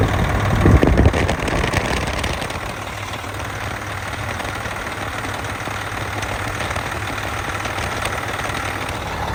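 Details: Engine after custom fabricated belt tensioner repair, tensioner now pointing down with nylock nut and belt on, just started before warm-up; brief startup thump then low even rumble at steady idle, everything working perfect.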